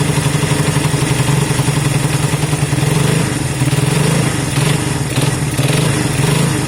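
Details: Honda CB200 twin first start after many months stored, after air filter work and fuel run through: steady low idle with a couple of light blips, even beat, no knocks or misses; normal idle.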